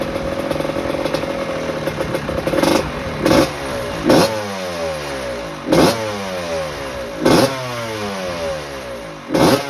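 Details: 1986 Maico GM Star 250 (M-Star) two-stroke, first warm-up after rebuild fixing a head problem: crisp idle blipped to a sharp rev about every 1.5 seconds, dropping back cleanly; normal, healthy warm-up.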